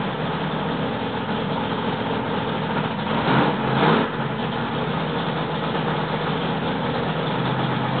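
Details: Freshly rebuilt L88 427 Chevy V8 from a '66 Chevy II, hydraulic roller cam, aluminum heads, low compression, first start-up: steady even rumble at raised break-in idle, timing roughed in, no knocks or misses.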